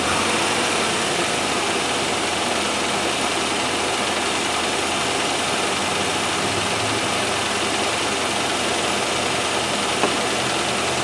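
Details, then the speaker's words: 1997 Land Rover Discovery 1 on a stand-in battery, shortly after first start: the idle is steady and even with no misses or knocks, but sits a little high. "well it sounds uh even enough it's a little bit high idle but i mean you can't of everything"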